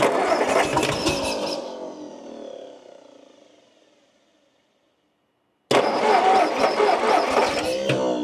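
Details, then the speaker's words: 1958 Ford Fairlane bought at auction, long unrun, running on poor fuel; old six fires unevenly about four beats a second, fades, stalls and catches again; rough running, owner suspects a valve problem. "it's not very nice fuel but I think this thing doesn't care what it runs on"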